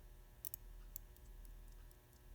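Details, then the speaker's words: 1970 Cutlass Supreme self-winding Borg dash clock, bench-repaired with a lubricated flywheel: faint light ticking resumes over room hum after the contact point closes and it is re-triggered. Normal clock ticking. "there you go it starts working again"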